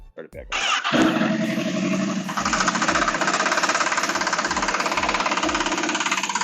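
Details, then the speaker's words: Honda CBR1000RR on a jack stand, in gear with the rear wheel spinning: dry, higher-pitched rattling knock about three times a second as stuck chain links are forced around the rear sprocket; badly overdue chain maintenance. "so do you hear that the higher pitched rattling sound that knocking is the chain links actually sticking together and being forced to turn at that rear sprocket"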